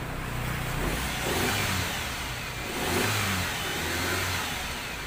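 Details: Toyota Soluna after replacing a failed EFI relay that had cut spark and caused a no-start: engine catches and revs up and down cleanly with no misfire or knock; runs normally.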